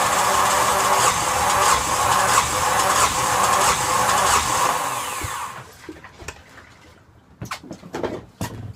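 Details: Yanmar SB12 marine diesel after fuel line repair, bled and primed, at about 41°F: steady fast cranking churn for about five seconds that never catches, then stops; air in the fuel line.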